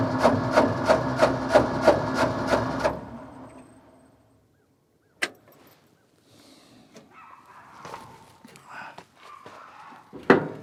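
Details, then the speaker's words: Ford F600 ex-U-Haul truck, 359 FT engine freed after sitting locked up for 20 years, first start attempt: about seven even starter chugs, roughly two and a half a second, then cranking stops with no firing. It cranks but won't start. "The motor turns over. Next thing is to put the new spark plugs in it."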